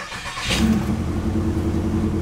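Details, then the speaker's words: Chevrolet Impala SS LS4 V8 cold start after new plugs, wires and valve cover gaskets, nearly empty fuel tank: quick catch into smooth, even idle, no stumbling; previously misfired for a while on every cold start. "there it is oh that sounds good every time I would start it from cold it would misfire for a while"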